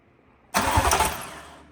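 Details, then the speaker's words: Audi B9 S4 (2018) with swapped 4.0T engine, first crank test after wiring starter trigger wire (car was dead due to external battery kill switch): one-second burst of starter spinning engine over then dropping away; normal starter cranking. "So now we are going to go back and try to start the motor. Well, not start it, but at least crank it over with the starter."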